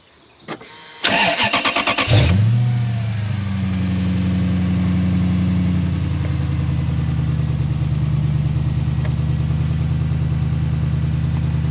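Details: Old Lexus LS430 V8 test car with the exhaust cut off: starter whirrs, the engine fires and settles into a deep, loud, booming unmuffled idle; the exhaust flap stays in the up position, and the owner concludes the valve isn't working.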